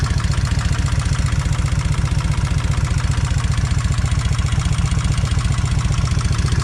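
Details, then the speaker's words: Kawasaki Vulcan 1600 V-twin idling after drilling a bolt to increase oil flow to the rocker arms, after about 44 miles: firm regular ticking, largely air injection solenoids clicking, plus rear cylinder rocker arm still tapping; front quieter. "Yeah, I can hear them air solenoids clicking pretty hard. But I can hear this rock arm on the back exhaust, or not exhaust, but the back cylinder. I can tell it's tapping still."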